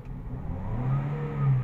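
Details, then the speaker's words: 2017 Toyota Vios 1NR, jerking in first gear: engine pulls up under throttle with uneven, stumbling low rumble; scanner shows 16 misfire counts, misfire moved from cylinder 3 to 4, ignition coil to be replaced. "Ayan nagbabago ang Bilang ina accelerate 16 mpire counts Ramdam mo e so ang gagawin dito mga kb mga sir magpapalit na muna ng ignition coil ng isa"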